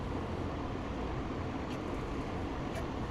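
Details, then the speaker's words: Craftsman push mower 917.388834, Briggs & Stratton Classic engine, running on a repaired original Briggs carburetor after the aftermarket carburetor would not pull fuel: steady, even drone with no surging or sputtering, running normally. "So it works now. There was something screwy with this old carburetor."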